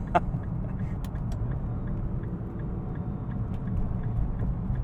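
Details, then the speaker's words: 2009 Nissan GT-R Black Edition cruising in fifth gear at 30 mph, under 1500 rpm: low steady rumble with a very slight even whine from gearbox and rear axle; normal drivetrain noise. "you can hear the gearbox and the rear axle and stuff all moving you can hear a very slight whine from it as well"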